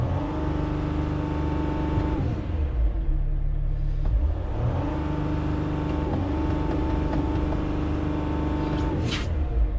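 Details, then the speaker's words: Diesel van with dirty particulate filter that won't regenerate and no stored codes: revs climb and hang flat below 3000 rpm with an exhale sound, then drop; wiring problems and air restriction suspected. "So let's see if we can actually rev this thing over 3000 RPMs. We certainly cannot. And I could actually hear the little like exhale."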